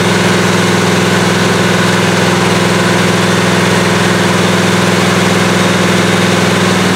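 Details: 1977 Malibu low-mileage machine-shop-built V8 during cam break-in, oversized 770 carburetor; loud, steady run with an even lope and no knock standing out; owner says any apparent rod knock is just the audio; healthy engine.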